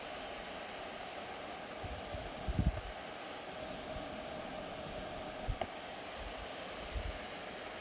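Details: Dyson Pure Hot+Cool HP04 purifying heater and fan with bulging sides: thin, steady high-pitched whistle over soft airflow rush, holding constant; annoying whistling noise from the fan.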